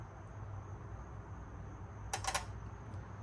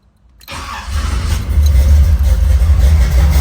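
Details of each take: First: Fuel injector bench-tested with 12 volts from a battery maintainer: quick burst of crisp clicks when power is touched on, injector opening normally; injectors good, so a connection issue is suspected; normal injector click. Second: Engine started, settling into an uneven, lumpy idle, running on only two of four injectors until the gas is pressed, because the progressive linkage setting is not enabled; idle on only two injectors.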